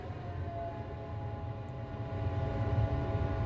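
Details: Weber SmokeFire EX6 pellet grill after auger assembly replacement, set to 600 degrees: quiet steady low hum with faint even whirr, no rattles or scraping; combustion fan running normally, glow plug heating.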